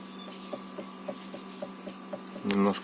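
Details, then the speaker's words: Hyundai Elantra HD: soft, evenly spaced knocks of about 2.5 per second from the steering column at the slightest wheel movement. The bushing in the electric power steering was suspected; the plastic gears of the electric power steering are to be replaced. "всем привет сегодня решил устранить стук рулевой рейки точнее наверное скорее всего втулочки на электро усилить его слушайте"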